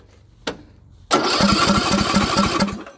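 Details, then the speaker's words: Craftsman LT2000 riding mower after checking the valves and refitting the spark plug, cranking with the exhaust off: brisk, even pulses about 2.5 per second. It now cranks much faster than before, which is believed to have been the whole problem. "They're definitely turning over a lot faster than they were. Like, it's actually turning over a lot faster, so I think that was our whole problem."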